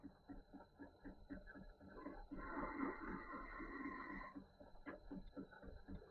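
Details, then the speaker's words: Small lathe with form tool cutting a radius on a machinist's jack: steady high whine and clean, even hiss without chatter after lowering the tool, which was slightly too high and possibly rubbing. "I've just lowered the tool. I think it may have been slightly too high. So, it may have been rubbing. And uh seems to got a better result now."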